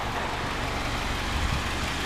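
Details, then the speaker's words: 2006 Honda CR-V SE, almost 10 years old, at idle with trailer hitch and lowered, custom-hung muffler: steady, even low rumble with no knocks, misses or whine; runs great, healthy idle. "yeah so you can hear she's running great"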